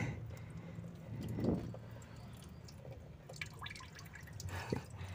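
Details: Honda Civic Wonder still being driven while coolant poured like a waterfall from the water pump, which also sounds rough and does not turn smoothly: irregular wet drips and small splashes under the car; coolant leak.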